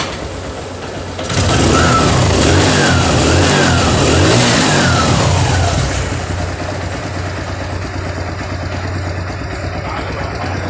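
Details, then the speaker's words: TVS Sport motorcycle after repair for a noisy timing chain: revs rise and fall, then a smooth even single-cylinder idle with no chain rattle, sounding like a new engine. "में ए रहा है एकदम perfect तरह से इतना sound हो गया नया इंजन के जैसे"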